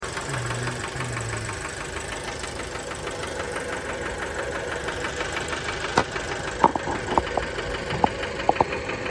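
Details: 2007 Fiat Bravo 2 with the 1.4 T-Jet 150 hp at 215,000 km, after maintenance: fine ticking runs through the idle, with sharper, uneven knocks breaking in near the end; the knocking noise is present and its source is not yet pinned down.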